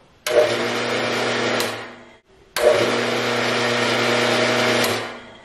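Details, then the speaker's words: Harbor Freight 4x6 inch band saw, first run after gearbox inspection before first use, motor switched on: smooth, steady low hum, twice, with no grinding, knocking or gear whine; quiet, normal running. "I want you to hear how quiet it is now you won't be able to see the shaft turn but you'll be able to hear it"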